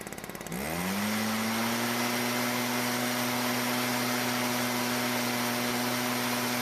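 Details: Stihl backpack blower after the carburetor H screw was turned about a quarter turn counterclockwise to richen fuel: pull-start, then a quick climb to a steady, even high-pitched buzz without surging or sagging. Clean, healthy run.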